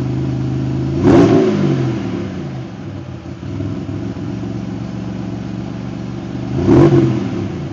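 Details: Engine with raised idle, L67 timing table and exhaust leaks fixed: smooth, steady idle, revs up cleanly twice and settles back with no puffing or ticking.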